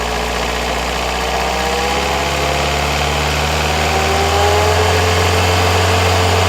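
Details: Opel Astra J 1.7 CDTI diesel at idle, a week after purchase from a dealer: light, regular tick about four a second over a steady hum; cause unknown.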